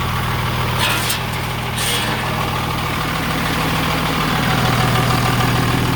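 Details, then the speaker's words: 2003 Freightliner/Sterling Schwarze A7000 sweeper, Cummins 5.9 L straight-six diesel, about 38,979 miles, after sitting almost two years; deep, steady diesel idle heard near the cab, no misses or knocks; the engine sounds good. "the motor sounds good"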